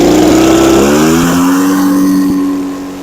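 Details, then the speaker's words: Echo PB413H backpack blower with an aftermarket carburetor and NGK plug, high-speed screw leaned, full throttle at about 6400 rpm (6400–6600 recommended, idle 2600): a high, steady two-stroke wail with a faint burble. Normal full-throttle running. "it's 6400 to 6600 recommended high speed I don't want to go any more lean with the high speed"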